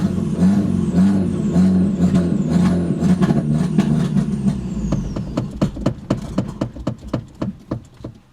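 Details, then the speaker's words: Audi TT sat for 7 years: lumpy, uneven idle that sags and hunts, then falls off into slow irregular clicks; struggling to idle, owner suspects old bad gas. "Alright, so it's having a really hard time idling right now. That's probably because there's a lot of bad gas in there and it just hasn't been starting in a while."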